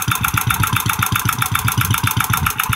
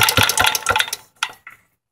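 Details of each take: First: Antique Clinton single-cylinder engine converted from vertical to horizontal shaft, hot, at slow idle: slow, even thumps at a steady unhurried beat with no misses; clean slow idle. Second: Antique Clinton vertical-shaft engine converted to horizontal shaft, idled way down with muffler off: sharp high ticks each beat as the tappets touch the valve undersides; the flywheel-side main bearing is also worn.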